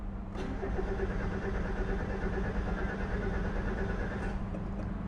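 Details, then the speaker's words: 1990 Mazda Miata MX-5, 49,000 miles, manual: starter cranks engine steadily with even, fairly good compression beats but it never catches; crank no start. "today we've got a crank no start on a 1990 Mazda Miata mx-5 got 49,000 miles it's a manual transmission and let's confirm it"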